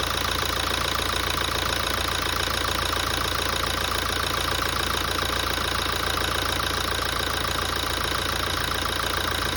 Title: Toyota 2017 engine noise after major service